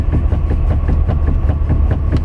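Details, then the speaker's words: 2017 Hyundai Santa Fe at idle, steering wheel turned left to right: rapid, loud dull clunks from the front steering, also over slight bumps when driving; suspected steering rack, for which Hyundai has a service bulletin (TSB 18-ST-003). "It's got some wicked clunk, as they say in Mass. It's wicked bad. And I believe it's in the steering rack,"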